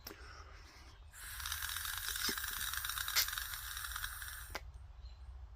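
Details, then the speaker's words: Honda GX160 junkyard engine's carburetor after a rough rebuild, blown through by mouth with two ports covered: steady hiss of air rushing through for about three seconds, no whistle or choke; passages are clear. "If you have that right there, and the one right there, and you put a thumb on this side, a finger on this side, and you blow in this, you should hear it make a noise with the air passing through."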